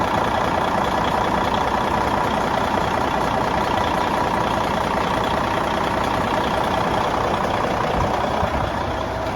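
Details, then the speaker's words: Clark tractor diesel after radiator replacement with new hoses, boots and clamps, 86°F day: steady even drone at constant speed with no misses, knocks or rattles; running normally. "man this thing is like a whole new machine with this new radiator it's 86 degrees today and it's just running right there"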